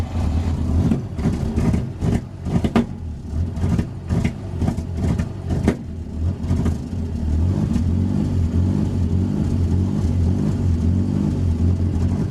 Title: Microsquirt misfire